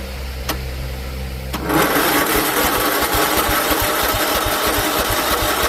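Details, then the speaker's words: John Deere L110 automatic mower after carburetor swap, jumper pack on the starter and seat sensor jumped: short cranking whir, then catches into an even, quick single-cylinder thump; starts and runs normally. "Okay, that fired up."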